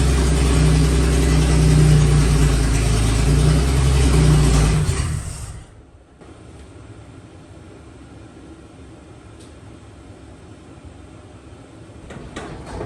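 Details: 1954 Fargo half-ton flathead six, first run after piston ring install and valve adjustment: deep, even roar holds steady for about five seconds, then cuts out; smooth, no knocks. Carb float was overflowing; some smoke from oil on the manifold.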